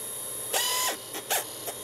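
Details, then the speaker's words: Sega Dreamcast (PAL) disc drive very loud while booting a game, whirring bursts rising and falling as the disc spins up and seeks; sounds like rubber winding, possibly just a fast drive; still works, cause unconfirmed. "Whoa! Wow, that's a very loud CD draw."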